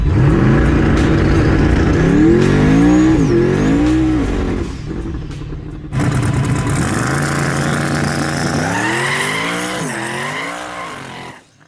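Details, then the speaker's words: Turbocharged S-10 street race truck, test hit after a fresh fuel swap: the engine note climbs, then turns ragged and stumbles as boost builds; ignition breakup traced to a faulty distributor. "But as the boost rolled in, the engine started to break up. At the time, we didn't know for sure what it was."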